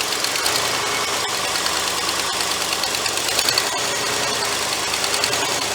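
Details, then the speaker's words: Cobbled-up 390 engine running again at idle, electric choke suspected not working; loud, uneven idle with irregular ticking and puffing from a massive vacuum leak behind the carburetor, with massive blow-by seen. "now while she's running idle probably not massive vacuum leak on the back of that on the back back here somewhere i got to dive into that"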